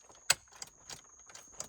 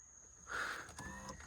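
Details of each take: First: Flooded Cadillac CTS power seat, pulled working from a junkyard: light sharp clicks about three a second with no motor whir following; seat tries to move but doesn't, cause not yet found. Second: Flood-damaged 2007 Cadillac CTS, power seat that previously acted up: brief soft electric motor whir, smooth with no clicking or stalling; seat now works normally.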